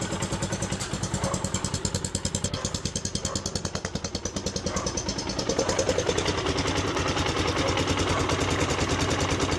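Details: CRZ 150 SM single, about 550 km, whose engine noise came from a missing spring holding the camshaft gear shaft: an even idle with steady exhaust pulses and no knocking, tapping or rattle; healthy.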